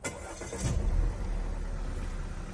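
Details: 2010 Audi A4 2.0 Quattro petrol after repairs for P0300 multiple misfire (cylinder 3 misfire) and a leaking gas cap seal: short crank, then catches and settles into a steady, even idle with no misfire felt; engine light still on before codes cleared.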